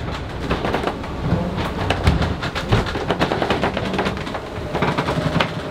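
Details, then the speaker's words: Lagoon 500 catamaran underway downwind in small waves; irregular sharp pops and creaks in bursts over a low rumble from the floor and bulkheads as the structure flexes. "oh man do you hear this do you hear this this creaking noise coming from this floor is just crazy"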